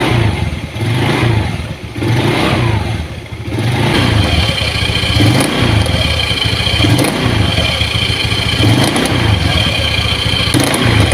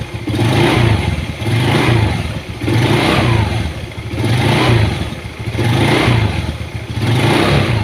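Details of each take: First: Honda Beat carburetor scooter: engine revs in surges with irregular knocking clatter on each throttle blip from the CVT; the CVT bearing in the CVT case is exposed on disassembly. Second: Honda Beat carburetor scooter after replacing worn CVT case bearing and pulley bearings that caused knocking on throttle; revs rise and fall cleanly with no knock or rattle; normal CVT operation.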